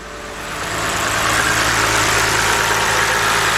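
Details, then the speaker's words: 2010 BMW 528i 3.0 with P0305 code, check engine light, occasionally rough: steady idle with uneven, lumpy beat and recurring stumble; cylinder 5 misfire, worsens when number 5 unplugged, unchanged when number 2 unplugged. "Start the vehicle up. Of course, we got a misfire."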